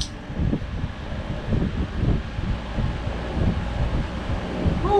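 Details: Mastercool MCP44 evaporative cooler after swapping its digital control for a two-speed manual switch, running on high with the pump on. A strong, even rush of air over a low rumble, with no rattle or scrape; it works properly.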